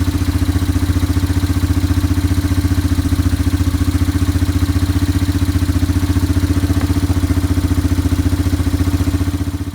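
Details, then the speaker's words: Yamaha ATV after carburetor cleaning and float adjustment (float reset about 4 times), idling to clear leftover WD-40 from the carb: a crisp, very even single-cylinder thump at about 220 per minute with no misses or hunting. Healthy, normal idle. "I'm gonna go ahead, I've got it idling, I'm just clearing out all the WD-40 if there's any in the carburetor left."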